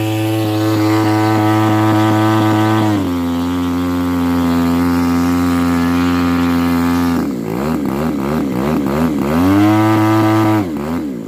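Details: Pitts S2C with smoke system: steady engine drone suddenly sags and surges in pitch, stumbling unevenly; misfire caused by a defective smoke-oil nozzle.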